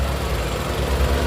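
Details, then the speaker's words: 2012 Nissan March 1.2 automatic petrol car, engine bay heard at idle: low, smooth, even hum with no knocks, ticks or misses; normal idle. "Terus untuk apron-apron depannya, ini mesin masih nyala ya teman-teman nih, tapi suaranya halus."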